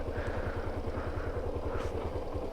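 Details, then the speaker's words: Suzuki SZR 150 after timing chain repair and gasket replacement: even steady exhaust pulses at quick regular beat, no rattle or knock; first-start noise gone, single running smoothly. "ko pag unang andar. Okay na uli. Smooth na ulit tumakbo."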